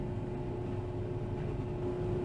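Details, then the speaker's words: Newly installed replacement fume hood blower, a couple of days old, running; steady even hum with a low drone and soft mid-pitched tone, no rubbing or rattle, much quieter than the old fume hood. "You may be able to tell that there's a remarkable sound difference from the old fume hood. This is a replacement that I got in about a couple days ago, and it's much quieter."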